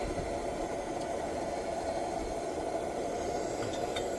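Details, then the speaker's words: 1948 Major 236 pressurized lantern, bought disassembled, pumped then pressure raised further: steady even hiss with no sputtering or surging; normal burner hiss. "man I love the sound of this thing you hear that steady little what you call it Funk to it love it"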